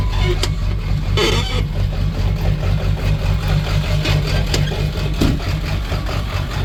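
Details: Ford 7.3 diesel truck at a low, uneven idle with a lumpy, stumbling beat, one cylinder missing; started normal cold, began missing as it warmed, smooths out when given fuel; owner suspects a bad injector, not confirmed.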